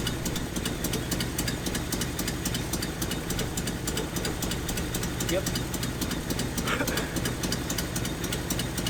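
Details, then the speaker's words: 1981 Nissan 280ZX straight-six, five-speed, sitting about 15 years, restarted while testing each injector: lumpy, stumbling idle with sharp ticks; one cylinder not firing because its rear injector isn't clicking/firing. "so this injector back here is not firing"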